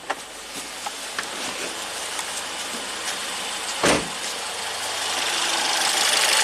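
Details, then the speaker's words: Ford EcoBoost van with intermittent P0106 code, warm idle after hot soak, high-pressure fuel pump volume control valve at 11%: light metallic ticking about three a second ringing like a small bell; source suspected, not confirmed. "you hear that sound like a little bell is that normal let me get the scanner sounds a little ringy"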